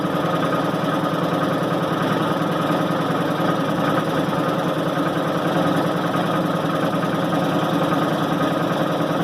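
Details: 1990 Maytag LA211 washer on spin cycle: a steady droning groan with a constant whine that never lets up, even after belts, brake and brake bearing were replaced; source still unknown.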